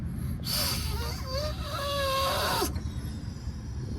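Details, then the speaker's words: Chevrolet Silverado that stops filling at 3/4 tank; blowing into the EVAP vent hose running to the fuel pump/tank gives a strained, wavering whistle with air pushing back: a restricted, pinched vent hose. "you can actually hear the pressure pushing back one last time you hear that that's pressure being pushed back this should not be like that"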